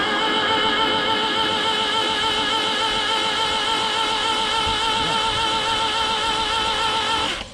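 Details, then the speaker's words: 1967 Toyota Corona RT40 stored about 40 years, no spark plugs fitted, freshly rewired battery cables, microphone in the engine bay: a steady high starter whine with a quick, even spin and no compression pulses; the starter turns the engine freely. "Démarreur fonctionne. Le démarreur fonctionne, c'est super. Ben ça va aider. Donc le moteur tourne."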